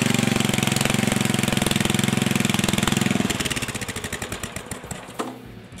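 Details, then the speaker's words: 1974 Sears rototiller single-cylinder engine started on choke after linkage repair. Rapid, busy firing well above a normal idle, then it winds down and stops. It is running too fast; governor spring tension is too tight. "put my tachometer on there and we'll make sure it's running at the right speed it sounds like it's run a little fast"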